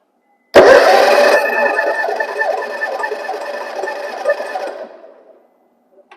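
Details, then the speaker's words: Big V-twin engine jump-started by a TOPDON JS2000 pack on boost mode, clamped at the battery side of the starter solenoid. A loud burst as the starter turns and it catches almost at once, then fades; a healthy start. "oh yeah guys i'm a little bit impressed i was kind of skeptical at first about how could a small little battery start a big v-twin engine like that but it will do it"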